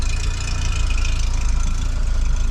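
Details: Vauxhall Cavalier Diplomat 2-litre 8-valve on a frosty day (about -3.5°C) after fitting a Peco Big Bore backbox, temporary centre section and poor downpipe: deep, even idle burble with steady low pulse and light metallic tink; exhaust sounds healthy, needs to carbon up.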